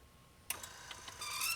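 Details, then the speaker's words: Rockola 484 jukebox in 65°F garage, selection mechanism cycling: sharp click, uneven ticks and strained whir, laboring and dragging; owner suspects dried-up gummy grease at moving points, needs freeing and lubrication. "got some dried up grease in it. There's quite a few of those moving points really seem to drag."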